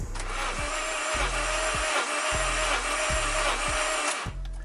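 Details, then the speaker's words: 8th-gen Honda Civic (2006-2011) R18A1 compression test while cranking: after cylinder 3 showed 0 PSI and cranked with a clean whine, this cylinder cranks with five even, strong pulses and is building normal compression. "we could hear 5 distinct revolutions at do-do-do. So we are building compression on this cylinder."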